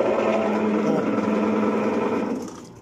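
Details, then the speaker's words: Maytag washer that won't wash, agitator removed: loud, harsh mechanical whir with a steady buzzing tone while the agitator shaft barely turns; transmission failure noise. "pueden ver es mucho el ruido es muy fuerte el ruido"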